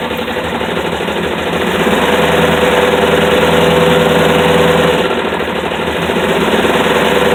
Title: dart knocking sound